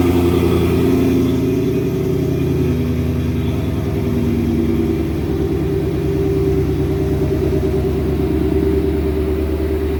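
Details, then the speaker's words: RTR Spec5 Mustang GT widebody V8 with Titan-finish E85-friendly headers and stock catback, hood up, cold start: deep, steady burble at raised cold idle, smooth and even with no ticks or misfires; normal cold start idle. "But if you haven't heard this thing cold start yet, you're in for a treat."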